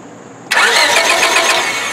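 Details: 1999 Honda Civic LX, 1.6 L, no-start: the starter cranks steadily for over a second but the engine never fires. A test light shows no spark; the fix is replacing the faulty ignition coil.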